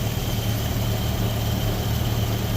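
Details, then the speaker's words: Datsun Roadster with EFI on 93 octane, cold engine in the 50s °F after adding cold-start and after-start enrichment: low, fairly even idle, no stumbling or misses, a bit better before warming to operating temperature. Normal idle. "okay so that's a bit better I think right off the Jump so now we'll get it up to op temp"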